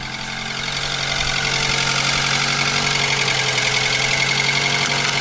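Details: Mitsubishi ASX 4A92 engine at idle; light, regular metallic tapping about four times a second, heard between cylinders 2 and 3 near the exhaust manifold; piston knock.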